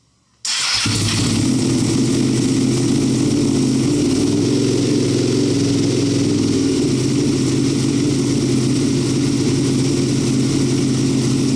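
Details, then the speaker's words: Rebuilt wrecked Ducati Panigale V2 Bayliss, first running after 3–4 months: catches and settles into a steady, even V-twin idle with a smooth lope and no knocks or rattles; smoke from the rear header likely cleaning products. "There we go. It sounds awesome."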